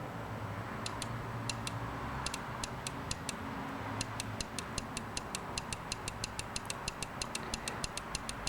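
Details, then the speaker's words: Nissan Altima EGR solenoid (codes P0325, P0400, P1400), measuring 34.3 ohms, fed from a 9V battery: sharp clicks three or four a second as it snaps on and off; it later went open-circuit and was replaced. "you can hear how that clicks off and on so the reason we're doing that multiple times is sometimes that that that U solenoid will stick and if it sticks when you when you hit the voltage to there nothing will happen at all"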